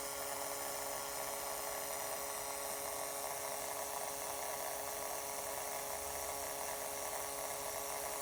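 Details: Acer Predator G9 (593) laptop after 9–12 months of use, internal speakers: constant thin level buzz with steady tones when system heats up, also in BIOS or during file copies; owner guesses southbridge-area interference; disconnecting internal speakers or max coolers solves it.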